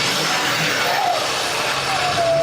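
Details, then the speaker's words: 2012 Ford F350 6.7L Powerstroke diesel after replacing warped exhaust manifolds and broken manifold bolts, now running steadily and evenly with no loud hissing or tapping from the former exhaust leak: a normal diesel sound. "Before we did all of our repair, you'd hear a loud hissing noise or a really loud engine tapping noise. Now, it sounds like a normal diesel."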